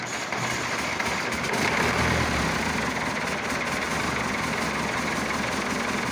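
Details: Massey Ferguson Super 90 diesel tractor, cold, at idle after replacing bad negative ground cable that caused slow cranking: steady even clatter. Normal cold idle.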